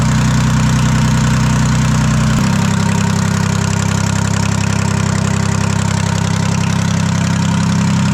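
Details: Detroit 3-53 two-stroke diesel after 25 years idle, rebuilt in 2000; reversed camshaft now corrected, buffer screw being adjusted. Loud open-exhaust beat, steady and even, settles to a lower idle after two seconds. Running clean and healthy.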